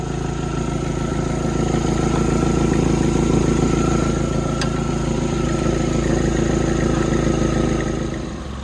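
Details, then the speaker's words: Likely a 2018 Chevrolet Malibu at idle on a cold day, heat shield removed from the exhaust manifold/converter assembly: a fast, even puffing tick three or four times a second, an exhaust manifold leak. "all right I got that heat shield off of this manifold slash converter assembly and it's definitely right there somewhere I can hear it"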